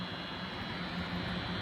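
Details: Noctua NH-D15 CPU cooler with its 140 mm fans in pull configuration, sucking air through the heatsink fins and clips fitted tight: steady airy rush with a faint low buzz and a thin high tone. The fans buzz, cause unknown; push configuration is quiet.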